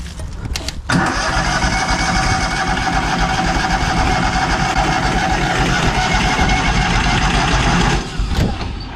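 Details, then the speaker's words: Kohler engine on a Hobart 10,000 W welder generator, carb reinstalled, choke out: starter churns about seven seconds without firing; owner suspects the fuel pump failed again or it's out of gas after draining much fuel. "let's see if it'll even crank over all right that fuel pump might might be out again"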